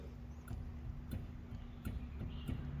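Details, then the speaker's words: Budget turbo Honda Civic, with the wheel rocked by hand front to back: faint sharp knocks from worn, loose tie rods. Ball joints are fine; the movement seems to come from the inner tie rods rather than the outers. "Did it play? Yep. So, yeah, it's definitely the tie rods."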